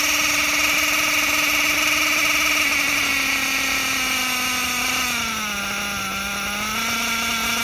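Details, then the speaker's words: Reds nitro engine, R5R horizontal carb versus traditional carb test; high buzzing whine that wavers and sags, revving erratically on the bottom end because the bottom end is set way too lean. "Okay, you saw how the engine revved up real erratically on the bottom end. The bottom end was way too lean,"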